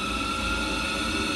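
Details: Ideal Logic condensing combi boiler fan running again after potentiometer increased and thermistor temperature dropping, 0.5–1.8 V DC on black/yellow with 2.5 V DC on black/pink: steady airy rush with fixed high whistle, no rubbing or rattle; normal operation.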